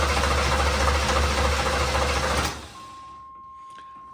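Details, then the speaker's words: Project car, unrun for a long time, cranked with fuel squirted in: steady starter cranking with no firing at all, no fire. A power supply fault to the ignition switch feeding the fuel pump and ignition was found and jumpered. "like we got no fire it's not even trying"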